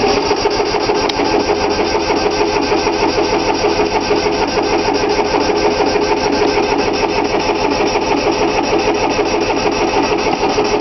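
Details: 3-cylinder Yanmar diesel cold start after repeated glow plug heating: steady starter churn with even compression beats, about two a second, never catching; fuel lines weren't bled, so air in them, though it usually starts right up.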